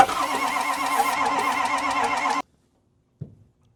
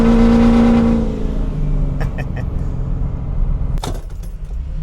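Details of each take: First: Ford 6.0 Powerstroke diesel that doesn't run, builds high-pressure oil: fast wheezing crank on a spare starter with ether and weak batteries, no firing. Oil then found pouring from the crankcase breather. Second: Ford 6.0 Powerstroke diesel truck, bought as a marketplace deal, driving with a deep, steady drone pulling evenly, no knocks or misses over road noise; normal running.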